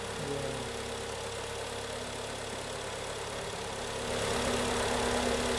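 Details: 2011 Kia Cerato G4KD engine, 211,000 km, first start after rebuild for cold knock and scuffing, running on flushing oil: even, quiet idle with a steady beat and no knocking or ticking; healthy normal idle.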